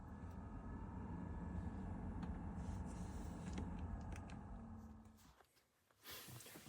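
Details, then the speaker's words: BMW X5 F15 with heating and air conditioning otherwise working: with the engine off, a steady low droning hum and whir from behind the dash and glove box, louder than the engine; owner suspects a worn blower motor. "it's kind of uh louder than the engine itself. Um, it's just the fan noise. So again, everything else is working fine, but since it hears or it appears to be like a fan, it must be the blower motor."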